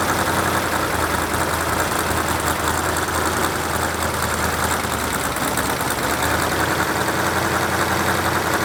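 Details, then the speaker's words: Rebuilt Ford 351 Cleveland V8 from a barn-find 1972 De Tomaso Pantera, fully warmed up at idle: sharp ticking puff over the exhaust at each firing from cheap header gaskets leaking exhaust. "all right well we got the engine running got it warmed up real good and if you could hear it you could hear the headers leaking and I purposly used the cheap header gaskets that came in the engine"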